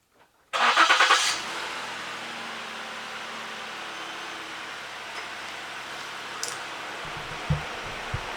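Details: Ford Flex after a no-start fix (replaced fuel pump relay/driver module): a short burst of cranking, then the engine catches quickly and settles into a quiet, even idle; normal start.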